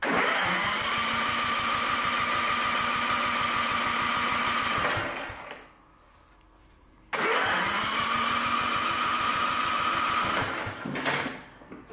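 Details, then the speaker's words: Mower with a Chinese-made engine and electronic Intella Power throttle: the starter churns steadily for about five seconds, pauses, cranks again and never catches. Crank no-start from a fouled spark plug caused by a clogged air filter. "If it'll even start. It's not starting now. It won't even start."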